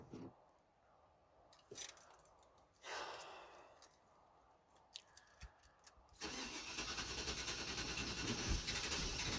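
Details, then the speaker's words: Cadillac Fleetwood, cold start at -2 degrees after coolant restriction valve replacement: steady fast starter churning for several seconds with no catch; crank no-start. Fuel pump heard and gas smelled, cause unconfirmed. "This is actually the first time where it's refused to start."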